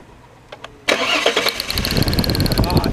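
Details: 2002 VW Passat 2.8L V6 intermittent no-start after stalling on road test: starter cranks with quick, even ticking for about two seconds, never catches; no spark or injector pulse, no stored codes, traced to faulty crank sensor.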